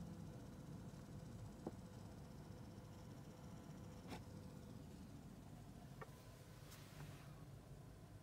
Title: Audi A5 Sportback Rattling Noise From Inside Cabin